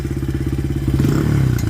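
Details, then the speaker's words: Honda CRF80F idling after a carb rebuild and idle-screw adjustment: small single with a quick, even popping beat and steady low note, no stuttering or hunting, smooth after backing off the adjustment and a throttle blip. "Oh, that's smooth. Do it again."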